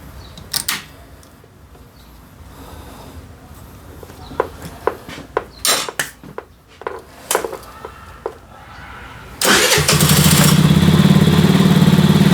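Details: KR Motors Yotta HQ80S 80cc scooter, which had been stalling, after valve adjustment: several seconds of clunks and kicks, then the single catches and settles into a steady, even run; normal engine start.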